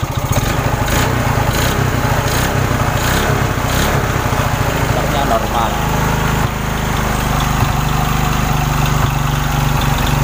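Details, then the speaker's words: Indonesian trail motorcycle (motor trabas) used for rice-field work, engine still cold, which cuts ignition once hot; raised, uneven idle with coarse irregular clatter; rough running, mechanic suspects worn connecting rod (stang piston) needing replacement. "motor ini suaranya sudah kasar dulur untuk stang pistonnya Kayaknya sudah kena dan harus diganti"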